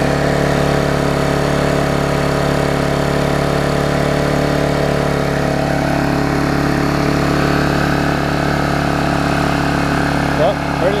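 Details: Old Vulcan 18-inch mower, rusted flywheel freed from magneto, new intake pipe fitted, bigger muffler: steady even two-stroke drone at constant speed, holding throttle, no misses or surging; healthy running.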